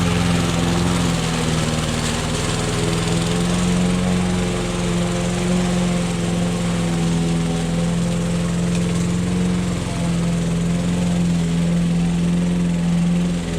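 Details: Old Toro lawnmower that sat for years, cutting the yard. It holds a steady, buzzing drone with no surging, sputtering or misfires. The owner suspects a sticking float that drips fuel. Normal running under load.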